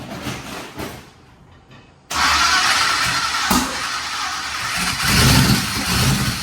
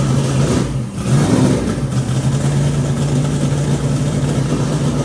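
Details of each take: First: Twin turbo Nova engine: after a short crank it catches but runs rough and lumpy with an uneven, stumbling beat; only one bank firing. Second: Twin turbo Nova V8 after flipping the reversed coil wiring on one bank: deep, even burble after a quick blip with no missing beat, now firing on both banks; idle air-fuel still untuned.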